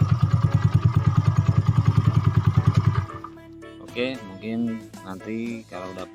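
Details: Yamaha Mio bored up to 150cc with new bore and standard carb and valves, fresh rebuild: small single-cylinder thumps at an even idle, about three pulses a second, no misses or knocks; smooth, with break-in pending.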